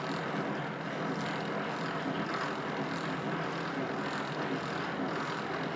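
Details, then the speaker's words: Old Rockwell lathe during reassembly, gears with only light assembly oil, no grease yet: steady whirring gear drone with gritty edge, no knocks; noise from incorrect backlash between two gears. "I figure out right away that here's the source of my noise is the adjustment between these two gears and after some playing around I wind up getting it right"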